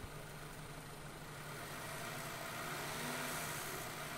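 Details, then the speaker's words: Engine with idle misfire, possibly old-style chain tensioner (2012–2014 update) with rattling suspected chain slap, waiting for closed loop; held around 2,000 rpm it runs smooth and even, misfires clear when revved. "oh it's definitely misfires if you rev it up does it slow just smooth out don't go crazy but bring up like two grand"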